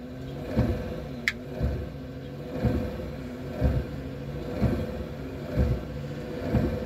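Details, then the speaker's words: Dodge Dart after wiper motor replacement, with the arm bushing pressed back in; wiper blade arms not yet fitted. Even sweep about once a second, smooth with no clunk, and the arm not popping off. Normal wiper operation. "It's not popping off yet. All right, I think it's working."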